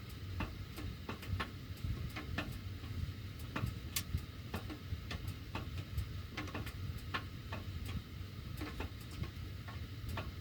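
Irregular sharp ticks and pops, a few each second, over a faint low hum; ductwork ticking while the heat runs.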